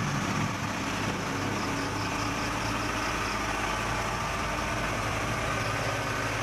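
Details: Suzuki Katana carbureted car after valve clearances reset (exhaust 20, intake 15) from loose uneven settings that caused rough idle, radiator fan not fitted: steady even idle, no misses, lope or valve clatter.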